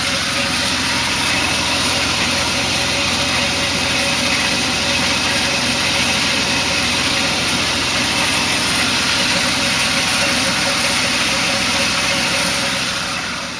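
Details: BMW E36 320i with ZF 5HP18 automatic gearbox, cold idle ~20 s after start: constant scratchy metallic rasp, heard under climate controls, gone after about 5 minutes driving; low ATF level found as cause.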